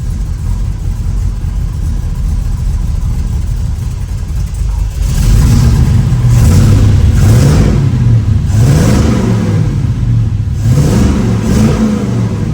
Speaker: Have a winner. It's idling Dude, that's freaking awesome. Heck yeah.